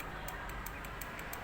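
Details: Automotive relay bench-tested with battery voltage on coil terminal 86: crisp sharp clicks about five a second over faint hum, vibration felt in body; relay switching cleanly, good.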